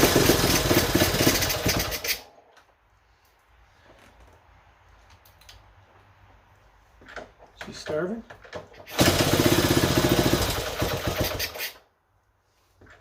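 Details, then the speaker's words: 1970 Honda Trail 90, previously non-running (reportedly overheated), running before carb cleaning: small single pops unevenly in short bursts, stumbling and dying; choke had to be feathered, owner suspects clogged pilot jet, and debris was found in the carb screen. "the pilot jet may or may not have had an instruction there which when it was running it was I had to feather the choke and a lot of times that means that's clogged"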